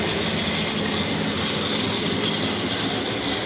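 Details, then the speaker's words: Axeman Anderson 130 coal stoker heating a Mahoning 500 wood boiler, four weeks in, water cycling about 160–183°F. A steady roar with a hissy top end and no surges or knocks; the burner is running normally. "You can hear it in there roaring away."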